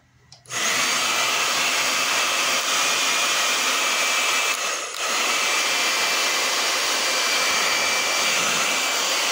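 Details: Hair dryer that had been running slow, after being opened and reassembled: after a quick spin-up it settles into a steady, even rushing airflow with a smooth motor tone; the dryer is running normally.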